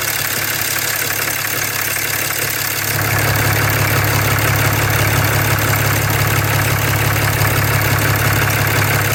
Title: 6.7 Cummins Ticking Sound Near EGR